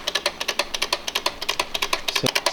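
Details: Saturn L300 with no-start problem, key in run, engine off; fuel gauge dead, service engine, fuel, airbag lights on. Rapid steady clicking about eight per second from the throttle body area; cause not yet known.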